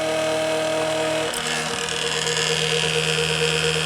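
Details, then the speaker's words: Late-1980s Quasar VH5471-K VCR (Panasonic mechanism) in play: steady motor whirring jumps to a higher, harsher whine as the capstan overspeeds, owner fearing it will self-destruct; uncontrolled capstan motor speed. "let's wait to see what it'll do we'll get that fast and it will self destroy"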